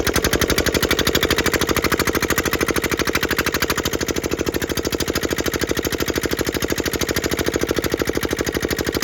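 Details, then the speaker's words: Petter AA1 single-cylinder diesel water pump, cold after sitting a week, decompressor and fuel set to one: even, crisp thump about three beats a second, steady, with injector pump chinking; normal running. "e and there you have it like I say I didn't didn't reckon it would take a lot to get going these"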